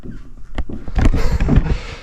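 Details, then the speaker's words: Master bedroom subfloor with carpet removed, before repair, the subfloor moving on the joists: dull creaks and short squeaky pops in irregular bursts as weight shifts, creaking and groaning. "So there's just all kinds of creaking, groaning. There's a bad spot there. Squeaking."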